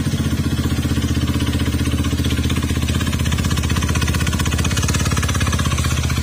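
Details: Honda Beat FI combi-brake scooter with GBT pipe, noisy "kuliglig" engine; another shop replaced only the cylinder block instead of the crankshaft: fast hard metallic knocking about three per second over idle from bottom end; worn crankshaft bearings.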